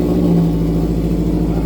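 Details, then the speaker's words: Subaru with exhaust damaged in an earlier accident, muffler off, complete straight pipe, not quite a cold start: very loud deep blatting exhaust turning raspy on revs, unmuffled; sound changes a lot, straight pipe exhaust. "It does actually change a lot. It's actually kind of scary."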